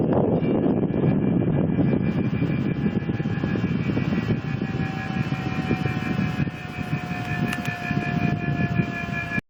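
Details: Mitsubishi Mr. Slim indoor air conditioner unit at steady running makes a continuous thin whine over a rough airy rush, with pitch drifting slightly down and holding; the owner wonders if it is the motor, cause unknown.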